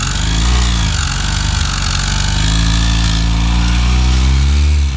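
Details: Yamaha XTZ 125 / YBR Factor 125 engine spun by a tool fitted directly on the crankshaft. Heavy, rough rumble with a knock about four times a second; internal noise, and the balancer shaft and its bearing are to be removed. Cause suspected, not confirmed.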